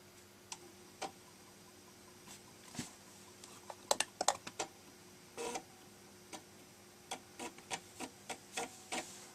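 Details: Amiga 500 Plus floppy drive, previously faulty, loading a disk after a reset; quiet uneven clicks and quick seek chatter over faint steady hum; drive loads though still has problems; normal floppy disk loading.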